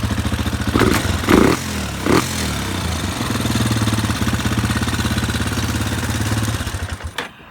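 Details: Warrior ATV number 4 after valves were adjusted, the exhaust tightened and the clutch and shifter worked on: a few throttle blips, then an even, steady single-cylinder idle until shutoff. Running normally, though a slight tick was noted.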